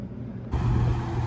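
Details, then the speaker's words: HVAC heat pump during low-voltage short troubleshooting after a new transformer was fitted: a steady low hum starts abruptly and holds even with no knocks, as the compressor runs normally at 8.3 amps. "you guys can hear the compressor running now it's down in there you can see that the machine is running at 8.3 amps"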